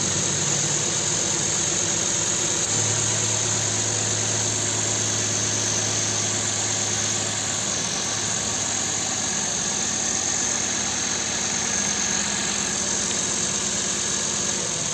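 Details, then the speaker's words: Nissan Sentra 1.8 after repairing the engine computer that gave a cylinder's injector no pulses: steady, even idle with smooth rhythm and no misses; all cylinders now firing. "Ahora sí se nota el cambio ya funciona ese cilindro"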